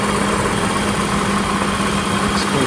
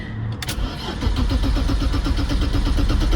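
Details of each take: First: 1990 BMW 535i E34 inline-six, first start after about two years sitting, fuel replaced, run off a jury-rigged motorcycle battery. It fires and settles into a smooth, even idle with no misses, ticks or knocks. Normal idle. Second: 1990 BMW 535i E34 inline-six that had not run in years, on a shorted battery helped by a jump pack and motorcycle battery; fuel pump heard pecking, starter churns steadily for several seconds but never catches; crank no start from no fuel delivery.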